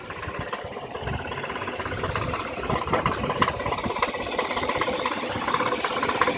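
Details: 2008 Infiniti G35x at idle: uneven metallic rattle with light knocking about three times a second from underneath the car, gone once the car moves; source unclear, sound exaggerated in the recording.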